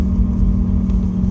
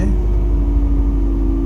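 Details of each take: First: Mercedes-Benz M111 with Eaton M62/M45 supercharger and new compressor pulley, driving in 3rd gear: louder compressor with a constant low whine over engine rumble; owner notes bearing noise needing replacement, bearing not identified. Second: Mercedes CLK W208 M111 200K/230K with Eaton supercharger, road test in 3rd gear after fitting a modified compressor pulley: steady high supercharger whine over the engine under load, about double the previous sound; some bearing noise noted, needing replacement.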